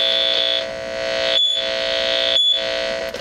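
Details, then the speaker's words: 1960s Gibson Skylark tube amp, volume near 9–10; piercing steady high-pitched squeal that stops when the 6EU7 preamp tube is grabbed, briefly dropping out; suspected microphonic bad preamp tube. "so I think I've got a bad be one to now demonstrate here okay hear that high-pitched squeal"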